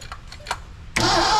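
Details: 1982 McLaren Mustang (Fox body) that sat for about 30 years, with its timing being adjusted. A few slow, labouring cranks, then it suddenly fires and roars up hard: ignition timing set too far advanced, later backed off.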